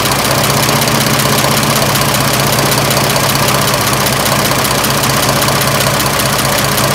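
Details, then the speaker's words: 1926 Oakland engine, back running after 75 years, warm idle (much quieter when warm): loud but steady with even slow chuff, no knocks; slight wetness, running fine. "this engine is so much quieter when it's warm"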